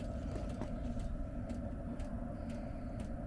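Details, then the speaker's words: Espar D2 diesel heater set to 22 °C, started just after an atomizer screen replacement, heard at the outside exhaust port: a steady low rumble with soft clicking ticks about twice a second; it burns evenly with brief white smoke, normal. "You hear it clicking. There we go. That's normal, a bit of white smoke, especially after an install."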